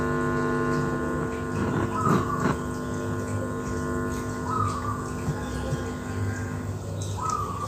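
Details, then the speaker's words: Active speaker amplifier with single-transistor preamp/tone control: steady buzzing mains hum from the speaker with faint warbling radio sounds bleeding through, the radio sounds attributed to that preamp; planned fix is replacing it with the original board. "ini telur ya pakai satu transistor ini yang menyebabkan tadi ada suara radio masuk ke dalam"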